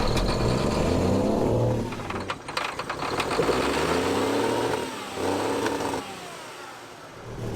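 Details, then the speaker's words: Old diesel semi truck, stored roughly 23–30 years, cranked with a 12V jumper pack added for faster cranking; ragged cranking catching in uneven bursts, sagging, then firing again. Hard starting after long storage. "all right so we might not be getting uh fast enough crank so we're gonna add a jumper pack to it 12vt"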